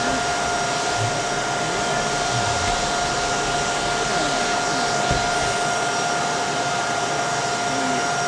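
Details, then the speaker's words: Bissell 3374 Pet Hair Eraser Turbo Lift-Off upright vacuum: steady high motor whine with faint wavering underneath; it runs and spins but sounds strained and sickly, cause unclear. "Doesn't sound great. Definitely sounds like it's sickly in there, but it spins."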